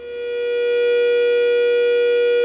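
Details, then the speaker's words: Bose Wave radio/CD AWRC3G with liquid damage and prior bodged repairs around U600 TL074C op-amp: loud steady howling tone near 500 Hz swelling in; amplifier oscillation, before repair. "bloody awful racket"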